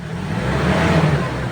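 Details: Ford Ranger XLT after fixing a no-start caused by a loose connection at the fuel pump terminal. The engine catches and runs evenly with a smooth low drone that swells briefly on a light rev, sounding healthy and steady.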